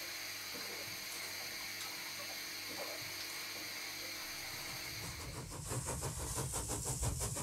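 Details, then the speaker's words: Large model steam showman's engine running, driver's-eye view: soft air hiss then a rhythmic watery gurgle about three times a second from the crankshaft-driven water pump returning water to the tank through the open bypass; normal. "the water gurgling noise that you can hear is the crank shaft driven water pump returning the water back to the tank because the bypass is open"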